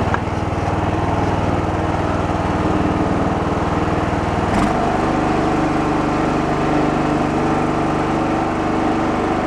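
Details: Abandoned Poulan Pro riding mower, single-cylinder, after revival (ran rich earlier, bagger hose split): steady chug whose note drops and deepens as the deck engages, then holds even under cutting load; running healthy.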